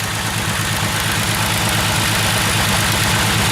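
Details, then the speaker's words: Jeep runs with a low, chugging, uneven loping idle about three pulses a second after getting more fuel; still doesn't sound right, owner jokes it may throw a rod; rough idle, cause not pinned down. "still seems like it's chug lugan somewhere where it shouldn't be it doesn't sound quite right yet probably about ready to fire a rod out the side or something"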